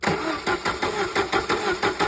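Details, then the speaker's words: 1994 Jeep Wrangler YJ, sat about 10 years: son cranks it, engine turns over evenly at about five compression pulses a second but never catches; 12 volts and computer control present, proper fuel pressure, yet every injector is stuck with not a single spray. "I'm have my son crank it up for you guys real quick and and I'll show you that none of these injectors are none of these injectors are injecting start it up son not a single spray again"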